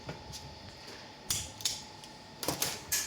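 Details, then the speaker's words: Lada Xray steering rack with electric power steering, removed from the car for a knock on both driver and passenger sides, worked by hand on the bench: sharp metallic clacks from play in the rack-and-pinion gear on the driver side; passenger-side bushing also worn. "поступила рейка с stada XRAY клиента на стук с обеих сторон И с водительской и с пассажирской касаемо водительской присутствует люфт в зубчатой"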